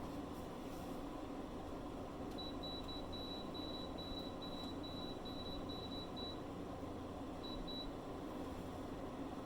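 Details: Reliable 1500 W inverter on four Panasonic 36V ES200G scooter packs running a 5000 BTU window AC: high beep near 4 kHz repeats rapidly about four seconds over room hum, then twice more, the inverter's low-voltage alarm.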